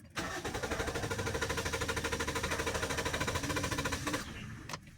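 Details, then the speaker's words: Manual Toyota Vios with a long-crank complaint: it needs about three starts, worse when cold. Steady starter chugging for four seconds with no catch; a weak fuel pump is causing the long cranking. "pag ini-start mo pala siya ano siya may long Crank siya ang tagal magbukas siguro three times mo pa siyang i-start bago siya magbukas lalo na pag malamig"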